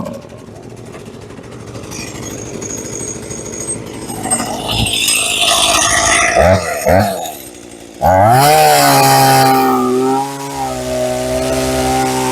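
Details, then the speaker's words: Hitachi CS33EB chainsaw after the bone-dry chain oil tank was refilled, cutting a roughly 5-inch log: revs drop as the chain bites, then recover without stalling. It cuts normally, making a medium chip; chain is not super sharp. "Yeah, it makes a medium chip. I wouldn't say it's super sharp, but it goes through wood just fine."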